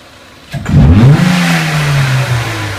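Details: 2003 Renault Clio 1.6 petrol, intermittent stalling traced to a loose crank sensor connector (sensor good): engine picks up crisply on a quick throttle snap and settles back smoothly, no misfire or stumble, crank sensor generating 0.8 to 4.4 volts; normal throttle response.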